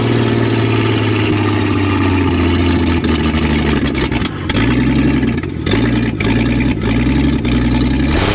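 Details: 1966 Ford Mustang, newly acquired and reassembled, first start: loud rough running, revs sagging and surging, dropping out several times, a fireball backfire; owner unsure fuel reaches the filter, seemed to run on the carb for a bit; stumbling first start with backfire.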